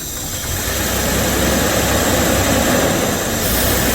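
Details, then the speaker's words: 1976 Jaguar XJ6 Series 2, sat 10 years, compression about 125/123, started on ether in the carbs: catches and settles into a smooth, even, quiet idle with no knocks or misses; normal idle. "she sound so quiet too"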